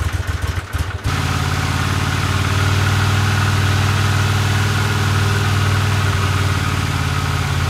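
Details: 1982 Honda CX500 twin, neglected for years, after cleaning tank, petcock, carbs, slow jets (slightly bigger jets fitted) and replacing spark plugs and caps: catches after a second, settles to a low, lumpy idle that never evens out; no change, cause unknown.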